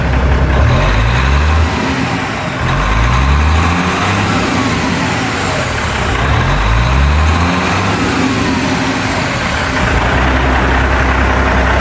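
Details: Seddon Atkinson 311 Cummins diesel truck yard find, just started and warming up in neutral, given a few revs: deep clatter climbs cleanly with each blip and drops back to even steady idle; normal idle and revving.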